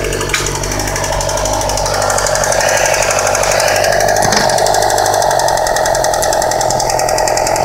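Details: 2008 Yamaha R6R ridden under load: loud mechanical clatter with a steady whine that rises and falls with engine rpm and stops as soon as the clutch is pulled in; drivetrain source not pinned down. Rpm-dependent whine and rattle.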